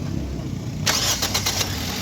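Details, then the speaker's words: 2012–2014 Toyota Corolla that had a starter motor problem, after repair: a short crank with quick starter pulses, then the engine catches cleanly and settles to a steady idle; a normal start. "अभी self लगा रहे हैं तो अभी आप check कीजिएगा इंशाल्लाह गाड़ी जो है बिल्कुल ओके है"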